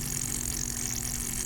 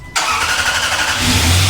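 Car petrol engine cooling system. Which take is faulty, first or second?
first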